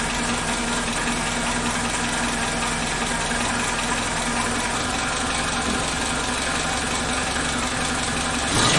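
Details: Suzuki Katana (Jimny) engine idling after timing belt and tensioner bearing replacement and a cold valve-clearance adjustment (intake 0.15 mm, exhaust 0.20 mm): even, steady idle with a light regular tick, no knocks, misses or hunting.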